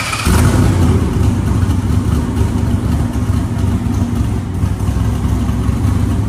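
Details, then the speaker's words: 1970 Chevrolet Nova with GM 572ci big-block V8, Tremec TKX 5-speed, Strange 9-inch rear with 3.50 gears, carburetor retuned; deep, strong burble pulling evenly through revs without stumbles, sounding better than the previous engine, healthy. "yeah that sounds a lot better than the last engine yeah that that engine has uh a little bit more pop to it and it grabs really nice"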